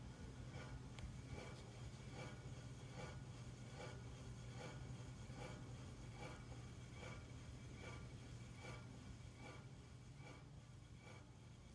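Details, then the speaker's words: New Hunter Original 52-inch ceiling fan, matte silver, running on low after installation: faint soft scrape repeating a couple times per second over a very quiet motor hum; scraping noise, cause unknown. "is super quiet though other than that scraping sound but yeah i have no idea what that sound is"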